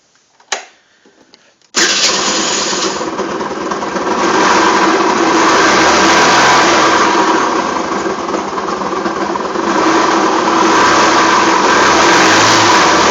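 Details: Rex RS 500: engine catches after a short pause and settles into a steady, fairly high buzzing run with a rough rattly edge; abnormal engine noise, source unclear.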